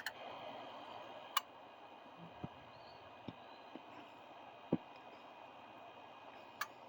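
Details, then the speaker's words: Truck, sat overnight, key-on injector self-test: only a few sharp, scattered clicks instead of a full sequence, only two injectors firing, yet truck runs only slightly sluggish; owner suspects the injector harness. "So that's quite interesting. Only 2 injectors hit. If that were the case, this thing would run like absolute junk, and it does not. I mean, it runs a little bit sluggish, but it does not run like junk."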